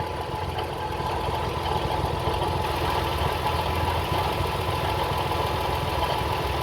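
Steady idle with a faint constant high tone riding over the engine's rumble; something on the belt-driven front end is suspect.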